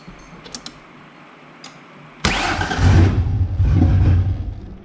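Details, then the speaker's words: 1994 Mazda B3000 with swapped-in 4.0 OHV V6, after swapping in what may be the ignition module from the donor truck: engine fires abruptly, runs rough and uneven a couple of seconds, then dies; owner suspects lack of fuel pressure, running on brake cleaner, plans to swap fuel pump. "Now, I think we just got a lack of fuel pressure issue. I'm going to have to take the pump out of that other truck, too. I think that was just running off the brake clean that was in there."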